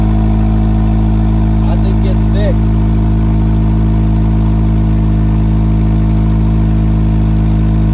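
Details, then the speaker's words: 2005 Acura RSX with race header and 2.5 in exhaust, just after replacing exhaust and header gaskets: smooth steady low rumble, even firing beat, no ticking or puffing leaks; sealed exhaust, healthy idle. "yes that sounds so much better doesn't it"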